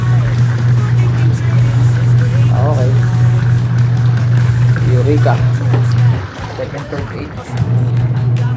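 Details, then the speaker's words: Washing machine whose motor spun but would not wash, after gearbox repair: strong steady low motor hum with rhythmic sloshing as the drum agitates firmly under load; normal wash agitation. "So ayan guys okay na an malakas na."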